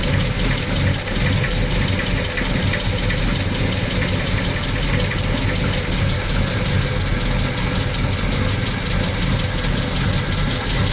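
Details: Cold VW Gol CL 1.6 AP engine idling with a rapid, steady ticking clatter over a strong low rumble; abnormal noise of unknown source.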